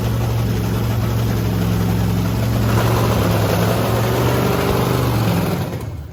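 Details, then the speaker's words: Blower V8 Camaro on methanol, after cleaning gunked fuel nozzles: deep steady rumble rising cleanly with a throttle blip, no stumble, misfire or drowning; running smooth and healthy. "it's really not like doesn't seem to be drowning it though"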